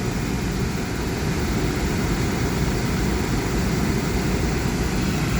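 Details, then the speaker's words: Thermo Pride Spirit Series 80% oil-fired furnace running after startup; steady, even low roar of burner and blower with no pulsing, rumble changes or squeals; normal operation. "yeah you can see the fan spinning all right that's the operation of an oil fired furnace"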